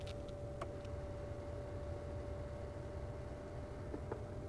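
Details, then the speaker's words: 1983 Plymouth Gran Fury semi-automatic climate control: faint steady high whir under quiet cabin hum with light clicks as the temperature setting is moved. Small motor moving the heater-core blend door, operating normally. "it's basically moving the blend door for the heater core"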